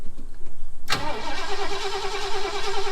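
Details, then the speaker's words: Project car "Sleezy" after sitting a while, being cranked to check the battery: after a quiet start the starter spins the engine fast and evenly with a steady churn; strong cranking. "it's actually turning over quite strong too"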